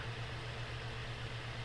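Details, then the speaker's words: Bathroom fan, shaded pole induction motor, after first oiling running on high: steady low hum under rushing air, not quite free; bearings still partly seized and dragging, so back bearings get another round of oil. "okay so that's still pretty seized up so we're gonna go ahead and put another round of oil in here into the motor"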